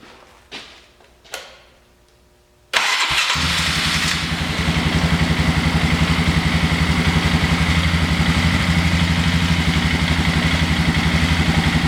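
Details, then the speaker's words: 2000 Polaris Sportsman 500 after fresh rebuild and a new Bendix gear replacing a bad one: two light clicks, then the engine catches quickly and settles into a steady, even idle thump, running sweet. "2000 Sportsman 500 fresh rebuild run sweet"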